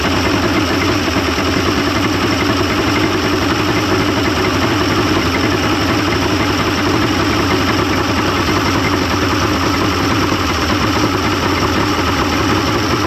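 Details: 1995 Mercury 200hp XR6 Blackmax outboard, after timing adjustment and clearing carb jets: steady even idle, constant low drone, no misses or surging; runs much better than yesterday, normal idle.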